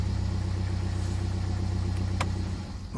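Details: BMW E87 diesel that had a crank-no-start fault (codes 4680/41AA/4AFB) caused by a shorted sensor dragging down the 5 V supply. Running with that sensor unplugged: steady, even low diesel rumble, no misses or knocks, then it winds down near the end.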